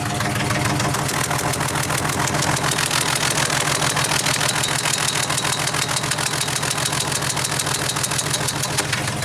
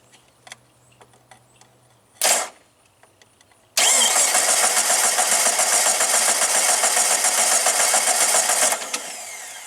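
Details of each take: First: 2000 Jeep 4.0 with a coil rail of three coils and no plug wires, no check engine light: lumpy, stumbling idle misfire on one or possibly two cylinders, worse in gear; a plug centre electrode was found burned down, and coils or injectors are suspected. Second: 2000 Jeep Grand Cherokee 4.0 straight six, running badly; starter jumped under the hood for about five seconds of cranking at roughly 3.5 beats a second, each stroke loading the starter equally: compression is even on all cylinders.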